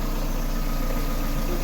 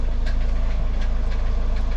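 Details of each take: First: Car idling and revved after a variator/gearbox replacement, with the AC compressor off. The knock came from a missing plate between gearbox and engine; after adding two washers under the starter, the idle is smooth with no knocking. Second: Car with about 200,000 km, knock appeared after transmission (CVT) replacement: sharp metallic ticks about three per second over steady idle; starter gear striking flywheel teeth.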